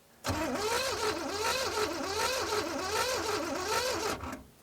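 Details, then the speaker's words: 1970s Pontiac Phoenix off the road 20+ years. Fast, weak, hollow cranking that sounds like it has no compression and never fires. Cause was no spark: a broken distributor rotor button and a cracked cap. "it's very weak why does it sound like that you think it sounds like my lawn mower it really does honestly like there's no compression to it"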